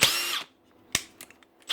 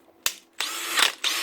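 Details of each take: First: Makita DHP486 brushless drill after quick trigger press: steady, even high whine with no grinding or slipping; gears engage cleanly, unlike slipping when trigger is whacked hard. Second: Makita DHP486 brushless cordless drill: harsh raspy grinding on spin-up after changing speed, square gear teeth not locking in; don't load it, give the trigger a quick press to engage gears; happens on new and older units.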